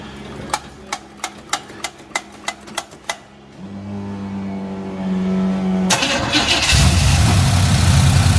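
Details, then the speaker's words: V8 first start after reconnecting the battery and adding fuel, with lifters possibly noisy until pumped up: about eight cranking beats, then it fires into a lumpy idle and revs loudly; sounds fine, like an old pickup. "It don't sound bad. No, it don't. It kind of sounds like old pickup truck."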